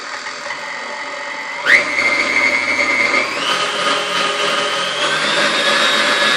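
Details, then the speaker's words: 1993 KitchenAid KSM5 stand mixer after restoration, regreased with lithium grease: smooth even motor hum stepping up cleanly in pitch through speeds from stir to 10, no knocking or grinding; runs healthy. "Alright, oh, I missed the first speed there. There we go. So it's got stir all the way up to 10. Seems to run really well."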